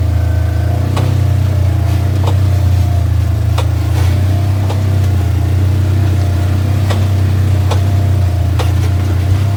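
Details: 2017 Polaris General: sharp irregular knocking/popping about once a second from the front end, over a steady low engine drone.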